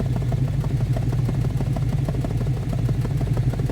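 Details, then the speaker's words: V8 truck, cold start in winter: rough, lumpy idle with dropped pulses, missing on the passenger side; owner suspects a fouled plug or burned valve blowing compression out the tailpipe; truck has felt down on power. "think it's definitely missing on this side. That's not good. She's definitely missing on that passenger side. Or maybe it's got a burned valve or something and it's blowing compression."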